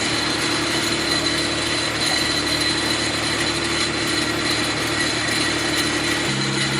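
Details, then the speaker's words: Mitsubishi FTO track-car build, first start of a freshly installed used engine on jump leads: runs fairly evenly with a steady high-pitched whine at the engine front; owner suspects the tensioner bearing, not confirmed. "okay guys so we got a running as you can hear we had a pretty nasty sound from the tensioner bearing I think"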